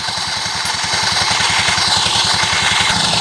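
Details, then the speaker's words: Scooter CVT at idle with the belt cover open, before repair: soft thump about 160 a minute under a loud, dry, steady hiss and scrape; worn drive belt edge rubbing; fixed by sanding the belt edge; CVT belt rubbing noise. "ini adalah suara panbel ya suara panbel yang bersentuhan atau bergesekan dengan sepertinya ya mungkin karena fambel ini sudah mulai Aus yang aus jadi ada surat ke sini"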